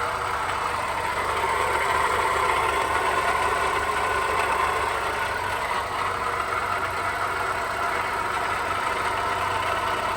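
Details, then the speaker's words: Perodua Bezza at idle with complaint of loud engine noise. Constant loud droning roar with a harsh mid-pitched edge and no clear knock rhythm; likened to an engine about to break, source not pinned down. "Beza pro kuat bunyi. [Tepuk tangan] macam itu engine mau pecah ponya nya di [Tepuk tangan] [Tepuk tangan] sini apa macam ini masalah ni"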